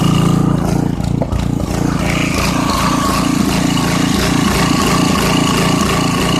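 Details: 1989 Briggs & Stratton 5hp 13 cu in single-cylinder with 6:1 gear reduction, sat about three years; started right up, idle surges unevenly and dies off choke, carb jet probably slightly obstructed, needs carb cleaning.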